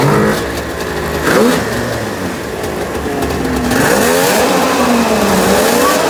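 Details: 1996 Ski-Doo Formula 3 600 triple two-stroke snowmobile, neglected project, after carb cleaning, choke cable adjustment and carb synchronization, started without choke: crisp note sweeps cleanly up and down through several throttle blips, no misfire or stumble; runs really good, carbs set up right.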